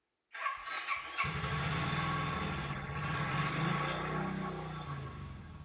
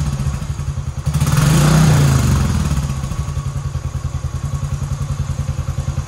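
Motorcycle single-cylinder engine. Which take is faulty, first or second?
first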